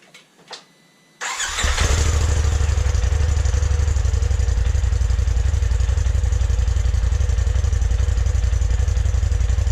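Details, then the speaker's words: 2020 Polaris RZR Turbo S Velocity turbo engine on the stock exhaust, before a Trinity Stage 5 slip-on: the starter catches and the engine fires into a deep, even rumble with firm revs; normal cold start. "I'm going to go ahead and do a stock exhaust sound. so you guys can see what it sounds like before and after."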